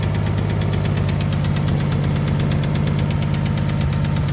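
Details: Ford FG Falcon bottom end with BA top end at idle: a fast, steady light tick over an even petrol idle, loudest at the rear of the sump, after a knock or two at start-up.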